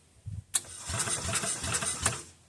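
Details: Old single-cylinder Onan 3.0AJ-1R RV generator, mechanical fuel pump: short burst of even cranking chugs about four per second that never catches; cranks but no start. Owner suspects bad fuel pump diaphragm, not confirmed.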